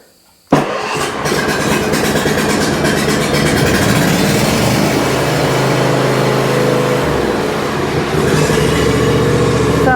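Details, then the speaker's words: Junkyard John Deere zero-turn mower with a Briggs & Stratton V-twin, fitted with a new battery and oil checked. A short crank catches within a second and settles into a steady, even run with no misses. Normal cranking and start. "like a Hemi"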